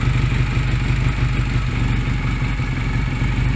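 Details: Honda Rebel 125 single-cylinder at low idle while the idle speed (throttle stop) screw on the carb side is turned out, letting the slide drop; steady slow putter with no misses.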